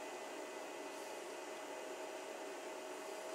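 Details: 2000 W power inverter after repair of a broken negative input pin, on a battery with a test bulb: a steady, even whir with a faint hum and no rattles or surging. The cooling fan runs normally.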